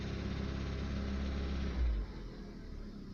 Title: стук в двигателе при 1900 оборотах и выше